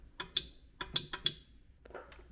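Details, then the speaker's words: Instant Pot with C6 error, replacement pressure sensor pressed by hand: six crisp clicks in pairs, then softer fumbling; new sensor switch clicks normally, unlike the broken one whose one side gives no click. "the brand new sensor has if you press it you can hear the click"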